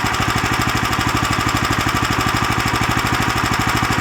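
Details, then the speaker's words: New Lifan LF390QE Pro (heavy duty, GX390-type) petrol engine on a flail mower, rubber-mounted, started on choke with booster pack on a cold day: crisp even beat at steady fast idle, clean exhaust note, no knocks or misses; healthy. "there we have it the life an FF 3 9 TQ e Pro which is the heavy duty version starts and runs fine"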